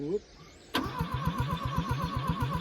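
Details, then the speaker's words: OMC Mustang 345 skid loader, abandoned, four cylinders: starter churns with a quick, even boop-boop pulse and the engine never catches, instead of a crisp thumping; low compression on all four cylinders. "goes that's what I mean by low compression it's doing that on every single cylinder all four of them that boop boop boop means it's just not building any compression it shouldn't shouldn't do that it should be a nice crisp thumping noise"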